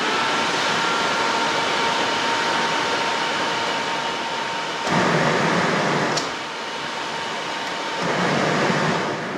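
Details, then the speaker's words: VW T4 Caravelle Syncro second new radiator fan, bench tested after its rough edges were sanded smooth: even steady whoosh with faint constant hum, no scraping or ticking; both fans now fine. "Working nice. Now they are both fine."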